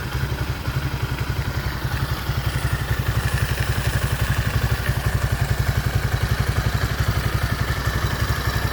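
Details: Motoland 166FMM (165FMM) 250cc single-cylinder engine, first start after repair: steady, even thump at a fast idle, about four beats a second, no knocks or rattles; engine running healthy.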